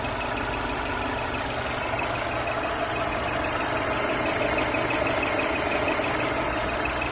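Even idle with a faint thin whistle held at a steady pitch above the engine note; a whistling noise from the engine bay, source unknown.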